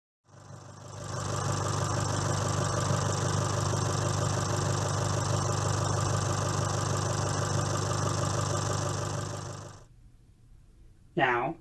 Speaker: this is a clip of the MultiAir unit functioning correctly the engine is at hot idle in sport mode with the air conditioner off